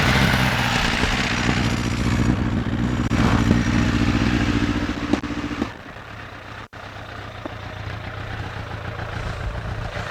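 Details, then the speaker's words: Suzuki Bandit 1200, 19 years old, idle: uneven, lumpy idle with exhaust chuffing. Cylinder 4 is dead (cold exhaust pipe) while 1–3 run, and the exhaust blows at the collector, which probably needs replacing. "so out of all of those I'd say cylinders 1 2 & 3 are running but for definitely isn't"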